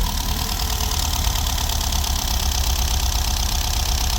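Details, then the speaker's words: VW Golf V Plus 1.4 TSI turbo, after repair of slipped timing chain and bent valves, first start in two to three years: steady low idle with uneven lumpy pulse, seemingly not firing on all cylinders, probable misfire. "yes yes woohoo after two or three years it's not running perfect but it's running okay"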